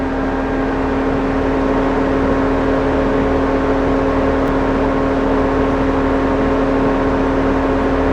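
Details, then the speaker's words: 2004 Mercedes C230 Kompressor (W203), engine/AC electric suction cooling fan activated via scan tool bi-directional test: steady even whir at one pitch, no rubbing or ticking; fan working, normal cooling fan operation. "It's telling us number 4. Turn that off. And now we know the fan is working."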